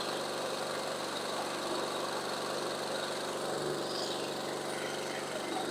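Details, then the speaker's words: Toro Recycler 22-inch Briggs & Stratton mower after a carburetor cleaning and fresh non-ethanol gas, running on auto choke while it warms up. A steady but slightly uneven single-cylinder buzz; the spark plug was not seated well, so it runs poorly. "The spark plug wasn't in very well. Definitely running poorly."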